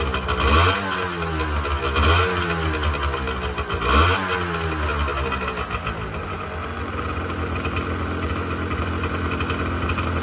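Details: 1986 Honda NS400R 400cc two-stroke triple after 11 months standing, run on choke to empty the carbs for storage: three sharp revs about every two seconds, then a ragged, sagging idle as it starves; running on choke as carbs run dry.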